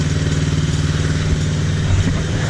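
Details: TaoTao Chinese ATV small single after cleaning a carburetor clogged by dried fuel from sitting over a year, old gas drained: putters at a fairly steady idle with slight chatter, warming up and running smoothly; normal idle.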